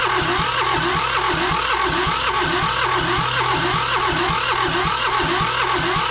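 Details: John Deere 650 subcompact tractor, Yanmar two-cylinder diesel, sat 15+ years, never run by current owner; oil pumped into cylinders to raise compression. Cranks evenly at nearly two compression strokes a second, loud and rhythmic, but never fires. Cause suspected, not confirmed.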